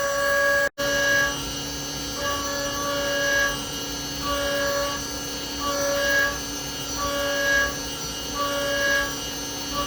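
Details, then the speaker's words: 3/16 end mill machining a brass comb: steady high tone with even repeating pulses every few seconds as the cutter passes; clean, smooth cut with no chatter, leaving a nice finish. "I'm really happy with how that 3/16 end mill kind of machined that out. Man, that ran smooth."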